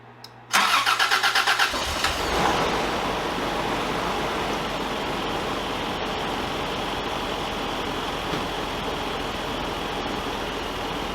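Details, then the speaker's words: Engine after replacing fuel injectors, gaskets and seals and fixing an EGR-related charcoal canister vapor issue: cranks a couple of seconds after fuel system pressurized, fires cleanly, then holds an even steady idle with no misses or ticks. "Dusty's all buttoned up he's running really smooth"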